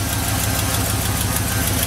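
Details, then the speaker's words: Truck with 6.0 diesel, 183,000 miles, sat for a couple of years, idling on a new battery: steady idle with an even tick about six or seven times a second; owner notes a pulley issue, thinks the AT is fully frozen and suspects a small exhaust leak underneath. "i'm pretty sure the at um is frozen fully frozen but think a little bit of an exhaust leak down there"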